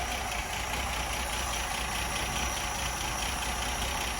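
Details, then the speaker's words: Ford Granada Mk1 3.0 V6 Ghia being recommissioned, warm with water pipes hot, fuel fed from a jerry can: steady, even idle with a soft, unbroken rumble, no knocks or misses; runs healthy, though the heater isn't working yet. "sounding sweet making lotsa lotsa progress they're growing up for a while all the water pipes are hot everything's as it should be"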